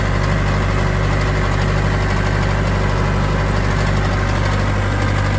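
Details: Old tracked loader diesel idling after start-up and being given some fuel: steady low rumble with an even beat and no ticking or knocking; healthy idle.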